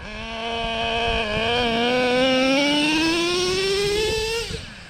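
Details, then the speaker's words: Traxxas Revo 3.3 nitro after the low-end needle was turned about 1/8 turn in because it was slightly rich and blubbered easing off the line; high buzz climbs smoothly without stumbling, then cuts off; normal acceleration. "I had my low end needle, the mixture, a slight bit too rich. And if I eased it off the line, it would blubber, sometime cut out. If I punched it, it would go, but so I took my needle maybe 1/8 of a turn in, and watch this take off now."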